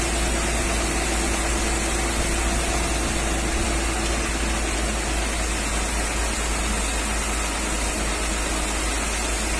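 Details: 1994 Mercedes G320, Japan import, running at fixed rpm during an injector-cut test: faint light metallic tick, not rod-knock-like, quietest with cylinder 2 unplugged; worse cold, quieter warm; piston knock suspected, cause unconfirmed.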